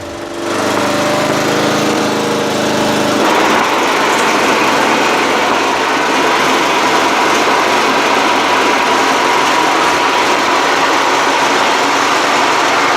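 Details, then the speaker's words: Murray 40" LT lawn tractor, 12.5HP Briggs flathead, PTO engaged to test the mower deck: engine hum, then a harsh rushing whir with a thin whine; deck bearings loud, owner plans to oil them and see if better. "everything seems a ok bearings are kind of loud but I'm gonna put some Earl and it see if it it's a little better"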